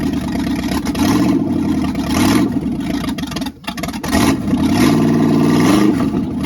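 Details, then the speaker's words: Freshly rebuilt small-block V8 (new cam, bearings, rings, honed standard bore, reused crank and pistons), first start: catches and revs up and down, even firing with no knocks or rattles; normal running. "sounds like he did a fine job. I didn't hear nothing knocking."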